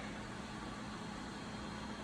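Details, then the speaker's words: Old Sebastian lathe motor, unknown condition, test-run on three-phase power from a phase converter via a makeshift extension cord; steady even electrical hum and low motor drone, no knocks or surging; motor runs in both directions. "So that's one way. All right, we actually have both directions operating."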